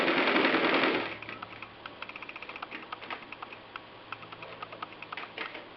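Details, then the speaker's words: Singer 319W electric sewing machine converted to treadle with steel coil spring belt: crisp, even ticking about three to four stitches a second, no knock or rub; normal machine sounds, belt adds little noise. "And uh you can hear that it's really just normal machine sounds and and the screen doesn't add a lot of noise to this."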